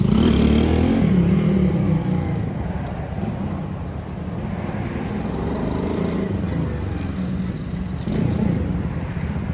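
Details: Custom Honda S65 with a Lifan 140cc four-stroke engine swap, ridden in a parking lot after years parked: smooth, even thrum rising and falling with throttle, no knocks or misses; runs and rides nice, though owner feels it pulls only like a 125. Normal running.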